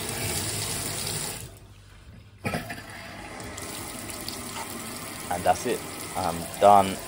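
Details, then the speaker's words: Newly fitted replacement tap with two new isolation valves, water turned back on; old tap had made a horrible noise from bypassing: smooth water flow with no hammering, whistling or chatter; new tap working normally. "so I threw on two isolation valves and now I'm gonna turn the water back on"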